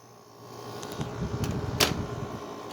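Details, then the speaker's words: 2009 Haier 5,000 BTU window air conditioner with Rechi Precision compressor, first startup of the season after installation, set to 71; steady even fan and compressor hum, a few handling bumps, no rattle; normal running. "there is my higher window air conditioner in my window for 2022 out sounds pretty nice"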